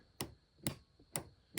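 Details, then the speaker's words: RV battery disconnect solenoid, remotely switched to connect the batteries to 12 V coach power: sharp dry clicks about twice a second with nothing following; no steps, interior or patio lights; failed solenoid. "So mine died. So if I turn this on, I can hear a click."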